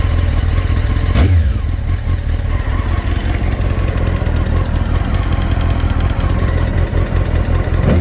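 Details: Honda CBR954 (SC50) four-cylinder with AluSil bores idling, two quick blips: dull clatter under exhaust; suspected piston slap or cylinder scoring knock, unconfirmed.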